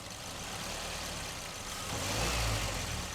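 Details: Mazda 2 with the 1.5 L petrol TS2 engine, idling after the mass airflow sensor was cleaned to fix a rough idle. A low, even hum with a slight swell and no misses or stumbles; the problem is fixed.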